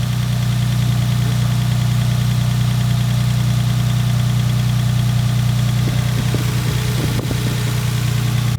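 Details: Lexus SC300 drift car after clutch replacement (clutch had slipped at a drift event), engine restarted: steady low even idle rumble, no stumble or skip now though it misfired on first start; normal idle.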